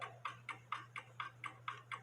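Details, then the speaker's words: 1880 Alexander Fleig cuckoo clock running without its pendulum, finger on the pendulum leader wire: crisp, evenly spaced ticks about four per second over a faint mains hum, showing the clock is in beat. "as you can hear it ticking away without a pendulum and that's where it's supposed to do with me putting my finger there still the pendulum leader wire is still ticking away and that way I know it's in beat"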